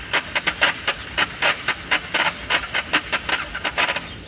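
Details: BMW F650 motorcycle, engine cold after sitting a couple of hours, tried with choke partly pulled, off, then fully pulled: quick even cranking about five per second with no firing; hard starting when cold.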